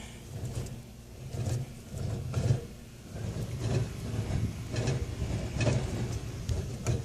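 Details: Car idling, shifter wiggled and shifted into gear: short bursts of rattly clunks each time the lever moves, owner suspects a loose heat shield underneath; rattle when shifting.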